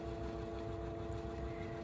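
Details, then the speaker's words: Circa 1985-86 Lasko-made Super 3713 20" box fan, 3-speed shaded-pole 6-pole plastic motor, before restoration: on low speed the motor runs very slow with a pronounced steady high whine over soft blade hum; motor whine and slow speed, cause not yet found. "anyways yeah you can start to hear the whining sound yeah i don't know the motor hasn't blown up on me yet so it's not dead and low it's really slow on low very whiny"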